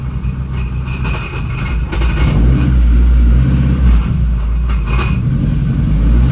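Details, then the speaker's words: Turbo Honda Civic EP3 at first start after a new twin-disc clutch install: deep, uneven idle with a light metallic rattle, the normal chatter of a twin-disc clutch; the car also has a bad battery. "All right, the twin disc will definitely make noise, but let's get this thing started up. Oh wow, right away. You can hear the disc making noise."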